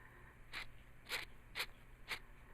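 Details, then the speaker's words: 1996 Jeep Cherokee XJ original clutch parts at 262,000 miles, removed because the clutch was chattering, not slipping. The worn throw-out bearing, spun by hand, gives four short gritty, crunching rasps about one every half second; the clutch disc springs are wasted. "let you hear the noises they come out of these the throw out bearing and the clutch disc"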